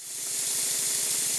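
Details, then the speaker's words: Stuart Double 10V steam engine run on compressed air after cylinder lubrication with steam oil: not self-starting, low power, leaking everywhere; loud steady hiss with soft quick chuffs about ten a second, steam blowing past badly seated slide valve. "this engine is currently not self-starting it's blowing very badly it doesn't have a lot of power and it leaks from possibly everywhere it can leak from"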